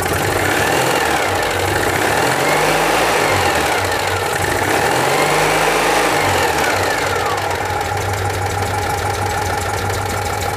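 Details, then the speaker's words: Citroën 2CV air-cooled twin, idling in the air after oil change and tappet adjustment: light, fairly even ticking three or four times a second, owner suspects clearances set too loose; tappet noise. "I can start her up right here in the air start er up or that does sound a bit Tuffy maybe I went to loose"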